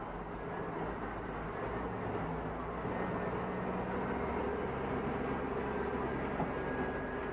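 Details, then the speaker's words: 2004 Chevy Tahoe with P0300 random misfire (stalling, stumbling at idle), brake torque test in drive after replacing spark plugs: steady even engine drone under load, no stumbles or misfire; codes cleared. "misfire. No misfires. Oh yeah. So it was those spark plugs. Something so simple, man."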